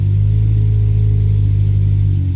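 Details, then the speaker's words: 998 A-series engine on dyno after rattle fixed, small carb, Mainard M14 cam, 123 ignition distributor: deep, steady, even drone at wide-open throttle around 1500 rpm making about 50 ft-lb, no knock or rattle; normal engine under load. "so wide open throttle it 11,00 1500 RPM is still knocking on for 50 foot pound it's really friendly that's cuz you got the small carb on it"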